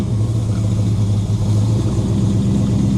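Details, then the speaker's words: V8 after Summit Racing distributor was moved one tooth to correct badly retarded timing; deep, even burble with steady beat and no stumble, "that's happier"; smooth running after timing adjustment. "That's happier. That's happier again."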